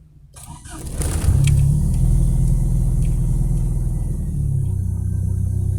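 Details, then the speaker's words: Kadett GSI alcohol engine on Megasquirt MS2 with wideband lambda, running on adulterated ethanol after 15% fuel enrichment added: quick crank, clean catch, idle flares then eases down smoothly; lambda about 0.97–0.99, stable, no vibration; normal start. "Olha que partida bonitinha. Sobe a lenta, desce gradativamente."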